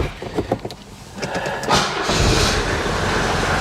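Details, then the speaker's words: 1983 Mercedes 240D diesel, Copart purchase, started in garage: short crank, then catches right away and settles into a steady, even clatter; healthy cold start. "Starts right up, man. Look at that power steering."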